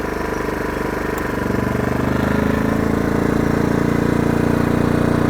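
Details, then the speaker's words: Oxseryn 2500 W inverter generator in eco mode as a 1500 W heater is switched to low, about 885 watts. The steady drone climbs in pitch and gets louder over a few seconds, running smooth and even. "hear it kick up there, starting to rev."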